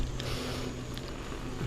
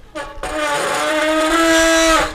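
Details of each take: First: Five-year-old mountain bike, rear disc brake tested after pads that squealed from vibration were serviced: soft rolling rumble while braking, no squeal; front brake also quiet. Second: Five-year-old, barely ridden mountain bike with nearly new pads: loud steady disc brake howl of about two seconds while braking, from pads vibrating against the disc.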